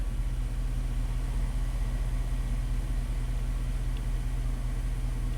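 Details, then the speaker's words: 2002 Dodge Dakota 4.7 L V8 after no-parts fix for erratic idle and rough shifts, minimum TPS relearned: low steady burble, IAC counts dropping as idle settles near 600 rpm, no stumble or hunting; smooth healthy idle. "now the I accounts are dropping until the idol stabilizes at whatever it wants my 600 rpm it's a v8 you know"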